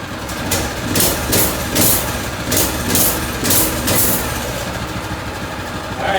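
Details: Predator 212cc engine on a DB30 Doodlebug minibike, first start after replacing the carburetor that wouldn't idle and cut out at full throttle; crisp throttle blips rise and fall cleanly and settle to a steady idle without stumbling, now running healthy.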